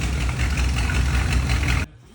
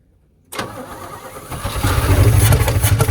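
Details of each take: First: GMC squarebody pickup after ignition coil replacement: steady, even low idle with no stumble or surge until shut off; it now runs, idles and drives. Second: Old Chevy squarebody truck that would fire up, run 10–20 seconds and die: brief crank, catches, then runs lumpy and uneven, stumbling and surging, sounds like garbage; rough running.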